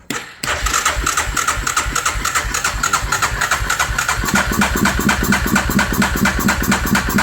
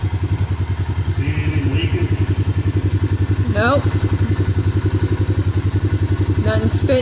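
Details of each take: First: 2003 Suzuki Vinson 500 ATV with manual gearbox, just started on a weak battery: fast, steady light ticking over a rough, uneven idle. Very tappy from loose, excessive valve clearance. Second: Suzuki Vinson 500 quad after the head and cylinder were machined, with a new head gasket and new oil: a steady, even idle thump with no misses or spitting, no leaks and no smoke. It is quieter than before, which was very noisy.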